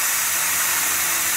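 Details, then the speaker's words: Saturn Vue CVT forward clutch piston on the bench, air blown in: steady high-pitched hiss of air looping past the faulty piston seal instead of applying the clutch until more pressure is given; it engaged late when the fluid got warm or thin. "So if I put more, still don't apply. So it's looping around this seal."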